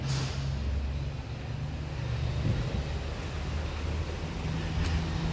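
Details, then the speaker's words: 2017 Ford Transit: steady low droning hum with a buzzy, high-pitched vibration at 35 mph and above from a cracked, loose exhaust heat shield at the rear; the shield was replaced. "a drone at 35 mile an hour plus almost like a high-pitched vibration it seems like something's wrong with the back of the vehicle"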